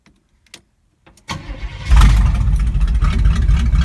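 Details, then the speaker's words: Z20 V8 after a fuel hose was fitted and fresh gas added, air conditioner on: fires after cranking and settles into a heavy, lumpy, uneven idle; ignition timing suspected, sounds better once adjusted; fuel hose still leaking. Rough running after start. "Sounds like the timing's low. Now it's high. It does sound better."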